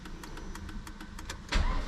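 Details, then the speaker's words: 2001 Volvo S40 petrol, bought as a non-runner: regular starter cranking about four ticks a second with no firing, then a louder surge as it catches; cranks but won't start on the first try, then starts. "what no way it's just turning over um let me try that again"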